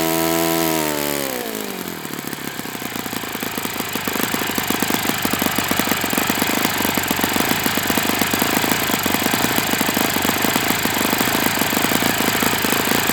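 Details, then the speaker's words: Enya 46-4C four-stroke model engine on a test stand, 11.5 prop, air bleed opened 1/4 turn: after start-up it settles into a fast, buzzy, rattly beat with a harsh clatter; owner suspects worn bearings. "It sounds like it needs new bearings, which is kind of one of the things I wanted to assess."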